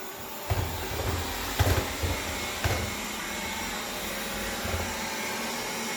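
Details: iRobot vacuum: steady roar with rough scraping and a few low thumps about a second apart, a grinding from the brush or drive area.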